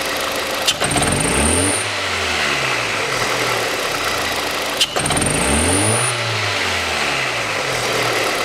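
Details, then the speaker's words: Hyundai Accent 2006, 1.6 petrol, manual. Smooth revving is roughly OK, but sharp throttle blips give pops and a hesitant pitch rise, and it misfires under load in gear. "но при нагрузке когда включаешь передачу начинаешь трогать начинают простреливать сейчас видно опять начал же простреливать"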